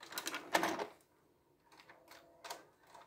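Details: Panasonic VCR cassette loading: a few light mechanical clicks and a soft whir with no squeal, so the mechanism cycles normally. A squeal on loading comes from the felt pad going glossy and is fixed by cleaning.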